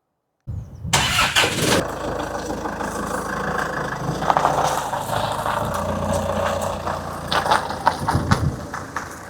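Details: Range Rover Evoque 2.2 SD4 diesel, after turbo actuator replacement fixed P0046 restricted performance, codes cleared and road tested: quick crank, catches cleanly, settles into steady even idle clatter with no misses; healthy.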